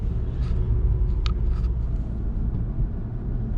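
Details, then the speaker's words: 2018 VW GTI SE test drive after tying down the parking brake lines, suspected of rubbing: low steady road rumble with only a few faint clicks, no squeak over bumps; the squeak is completely gone. "See if we might have fixed it just by tying down those parking brake lines. I don't really believe it, we'll see. It's gone, 100%."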